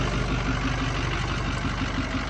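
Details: Ford 6.0 diesel truck idling: heavy low rumble with lumpy, uneven clatter; rough idle, suspected bad injectors.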